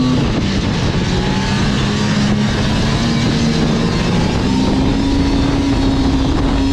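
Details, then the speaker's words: Liquifire two-stroke snowmobile at 20 degrees after adjusting the choke plungers 1.5 turns to 0.030 in, which seems to fix a long-running bog from quarter throttle up: the engine pulls steadily under throttle with no stumble; it runs as it should. "all right now that's definitely more like it's supposed to be I think we got her fixed"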